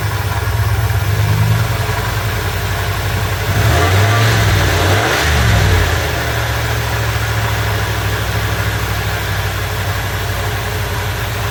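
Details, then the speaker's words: 1984 Ford E150 camper van fed from a boat tank: it needs a couple of pedal pumps, then catches and settles into a steady low idle with a couple of blips. It runs evenly. "anyway see how easy this thing starts now let's just crank it with no pedal yep got to give a couple pumps"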